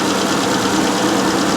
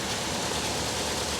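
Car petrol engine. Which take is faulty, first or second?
second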